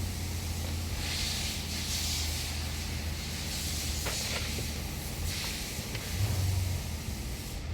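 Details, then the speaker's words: 2024 Nissan Pathfinder R53 that cranked but would not start: with the fuel pump control module found to be the fault and the lines refitted, with the air duct still off, the engine starts and settles into a steady even idle with a low hum and air hiss. "So okay na, umi-start na. So bali ito lang talaga naging problema natin."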